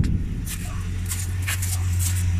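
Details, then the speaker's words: 1981 Ford Mustang with odometer reading about 104 or 204 (thousand), worn PCV valve: low even engine murmur, steady beat, no knocks or misses; very quiet smooth normal idle. "this thing, you can barely hear it running when you're out here. Like, this thing idles sweet."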